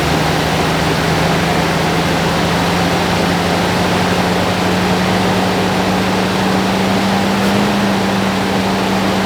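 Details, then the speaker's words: 1978 Lincoln Town Car V8, first start in about 25 years with new or cleaned carburetor, fires right up and settles into a steady smooth low idle hum, no misses or knocks, smoky, running normally. "that was something she fired right up yeah okay great"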